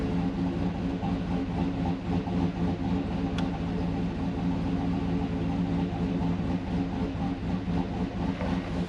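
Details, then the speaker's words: 2010 GMC Yukon 6.2 V8 with AFM/DOD delete and Stage 2 L92 cam, idling: an uneven, lumpy loping pulse; drives great otherwise. Oil pressure is still low with a new pump. Owner suspects the cam and idle tune. "it drives great it's just right here at idle it's just rough"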